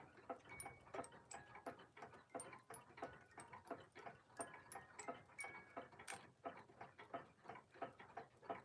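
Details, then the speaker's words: Antique alarm clock just repaired (lever not engaging properly): crisp even ticking about three per second, escapement running properly. "I actually just finally got this going again. This is that uh alarm clock."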